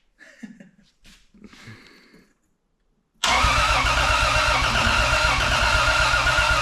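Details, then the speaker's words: 2JZ-swapped Chevelle, fuel pump primes to 43 psi fuel pressure, one leaky injector noted: quiet, then steady cranking about four beats per second that never catches; cranks but no start, cause unknown. "didn't start can't say that I know what's going on but let's see the next step"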